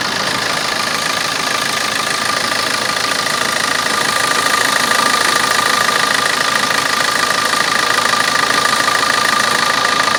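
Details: Opel Corsa D 1.3 diesel at idle: steady fast clicking about three ticks a second over normal diesel clatter.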